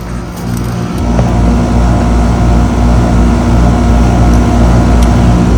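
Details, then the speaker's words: 2017 Rheem central air conditioner, just after it shut off: steady low hum with fine, even pulsing and no knocks or rattles; normal scroll compressor sound. "And it just shut off. Now you can hear the scroll sound in this one."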